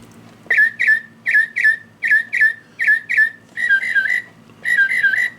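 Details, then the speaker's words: Singing bird clock before movement replacement, bird song triggered by the back button: short whistled chirps in quick pairs, then longer warbles, thin and strained. Songs distorted, lower tones broken, some birds don't sing at all. "another problem with this one is the birdies are very distorted when they sing or some of them don't even um sing."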